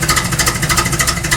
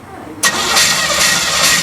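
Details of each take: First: Car "KITT" being tuned, fine-tuning and vacuum lines checked, idle: quick, even exhaust pulses with no stumble or rattle; sounds properly tuned and healthy, though owner notes something still slightly off. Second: KITT project car with no carpet or insulation: engine cranks and fires unevenly for about five seconds, sputtering and never settling to a clean idle; engine is flooded and needs some throttle to start.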